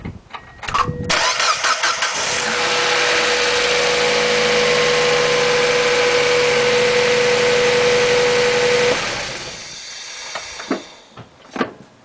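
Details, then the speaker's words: 1999 Mazda Miata after replacing the cam position (cam angle) sensor for code P1345: short crank, catches promptly, steady even idle with faint whine, then shut off; starts fine, though a hot restart after highway driving is still untested. "okay, it starts, but the real test will be is the next time I put this sucker on the highway and it heats up and I have to start it back up again to see if it starts."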